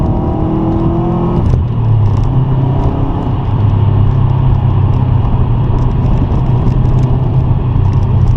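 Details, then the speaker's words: 2006 Subaru WRX Hawkeye with aftermarket cannon-style exhaust, driving: deep steady drone rising and settling with throttle, no popping or ticking; not too loud, normal aftermarket exhaust note. "uh this is an actual exhaust and it sounds okay it doesn't sound too loud it's not too obnoxious so i don't mind that"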